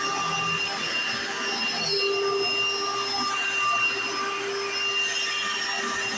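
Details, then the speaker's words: 1995 Hoover Encore Supreme U4261-930 upright vacuum, used about five years then stored, running: a steady high-pitched motor whine with even airflow, no rattles or surging. One part makes a loud noise at switch-on, considered minor. Normal running. "it looks great sounds perfect and another one thing is this one this part right here makes a very loud noise when you turn it on but it's not nothing too big"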